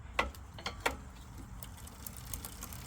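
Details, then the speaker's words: Lectric XP e-bike derailleur adjustment: sharp, uneven metallic clicks over soft motor hum as the chain catches the next rear cog. Misadjusted derailleur causing chain clicking. "you can hear it clicking up against the gear so we want to loosen it back a quarter of a turn and get right there"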